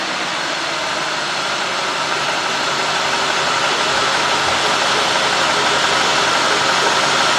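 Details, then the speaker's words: 2003 Cadillac Deville 4.6 V8, warmed up, codes P0300, P0171, P0174, P0101, P0404: steady airy hiss over slightly rough surging idle, worse in gear; intake vacuum leak, intake manifold gasket suspected. "You hear a little air? This is not that bad. I mean, I hear it's running a little rough."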